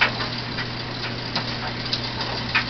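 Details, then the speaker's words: Homemade Joseph Newman motor powered by twelve 9V batteries in series: irregular sharp snapping ticks every half second over a steady hum; unexplained arcing discharge, owner fears coil damage, seems to come from the batteries. "wow there's work discharging i have no idea where that sparked i'm hoping i'm not ruining my coil"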